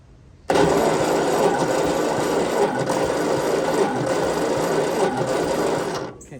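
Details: 1952 Ford 8N tractor, plugs out for compression test, owner suspects stuck rings; readings about 60, 65 and 92-95 psi: fast, even whirring crank about six seconds, no firing. Cranking with plugs out, low compression.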